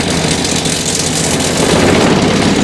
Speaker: you're gonna hear it, boy, that thing's gonna start rolling.